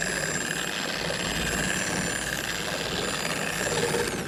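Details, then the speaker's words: Dual-action polisher on speed 1 spreading polish: delayed start, then thin steady high whine over light buzz, sounding weaker than other polishers, head loose; high-pitched motor whine, cause unknown. "okay we're spread around first things first that sounded not great to me now there it does seem like there's a delayed start to it which is fine that's that's not an issue at all some polishers were built that way it just sounded high pitched way weaker than the other ones"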